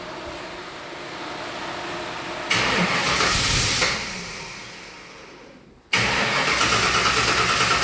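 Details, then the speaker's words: Ford Falcon 302 V8, carburettor corner mixture screws turned back 90° anticlockwise to richen, dry intake manifold: long steady cranking, pause, then needs fuel squirted in before it catches and settles to a rough run. "so this allowing more fuel back in so we'll start her up might take a little bit cuz the uh manifold will be quite dry now we'll crank her"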